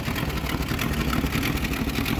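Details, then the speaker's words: 1966 Mustang straight six with 3-speed automatic, recently worked on after suspected moisture in distributor: rough, uneven idle with raspy puffing in the exhaust beat from an exhaust leak, not running great. "Now she's got a bit of an exhaust leak, and she's not running super great."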